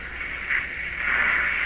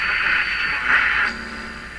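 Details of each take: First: Hallicrafters S-53A receiver during wax/paper capacitor replacement, AM broadcast band: steady airy swooshing hiss instead of station at 860; suspected oscillation in the IF stage. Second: Hallicrafters S-53A receiver after replacing its wax/paper capacitors, tuned near 860 kHz: a hard-to-get station comes through clearly with little static, not receivable before; normal reception.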